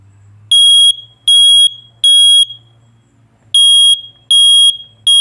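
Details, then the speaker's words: Uncovered smoke alarm sounding: three loud, high-pitched beeps, a short pause, then three more; the standard three-beep smoke alarm pattern, distinct from the four-beep carbon monoxide alarm. "r beeps and this one's three so if you hear a three beep that's a that's a smoke if you hear a four beep carbon monoxide"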